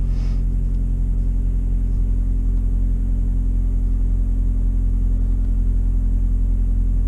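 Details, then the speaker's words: On a Suzuki SX4, after ignition coil replacement to fix choppy running and a misfire code, test drive: a deep, steady low rumble at even idle with no stumble; runs smoothly, though a pending code later remains. "I don't know if you can hear that difference, but it is running really good so far."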